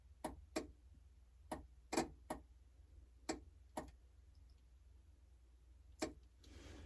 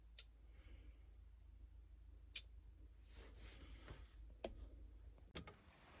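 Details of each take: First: Lada Niva, jumper wire across the headlight switch plug's spade connectors: sharp, irregular relay clicks, about eight in seven seconds. No headlights, wire heating up; the wrong two wires were jumpered. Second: Lada Niva in the cab with the key on, during electrical rewiring: sharp single clicks every second or two as the headlight relay pulls in and releases, with the headlights switching on and off, showing the relay works normally.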